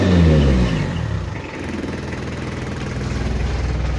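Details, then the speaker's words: Mitsubishi L300 diesel with free-flow exhaust, mid-restoration, before rotor head 12mm and final gear upgrade: low clatter falling toward idle with uneven lumpy beat, engine limping and shaking; timing belt suspected but later found fine, rough running. "Ini kita lihat untuk mesinnya ini pincang dan goyang saya curiga ini timing Belnya ada kendala"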